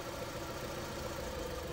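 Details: Honda Civic 1.7 (2001–2006) idling uneven and shaky with a loping stumble, no check-engine light. Cylinder 4 is misfiring after a coil swap test, and the idle gets worse with that plug lead pulled.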